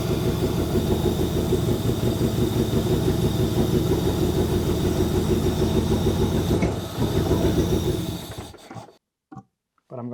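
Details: Saab 900 Turbo Commander with Bosch K-Jetronic injection, sat 10+ years, idling only while the air-flow sensor plate height is controlled by hand. Runs ragged and uneven, hunting near three beats a second, then stumbles and dies as air is cut; rough running.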